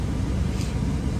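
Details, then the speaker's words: 03–08 Dodge Ram 1500 5.7 Hemi converted from clutch fan to electric fan, switch-on point being dialed in: steady, even low rush of air, no ticking, scraping or wobble; temperature falling from 208 through 206.6 toward 204. Normal electric cooling fan operation. "This is how much air this fan moves, dude. So, just running that little bit, the temperature will start to drop."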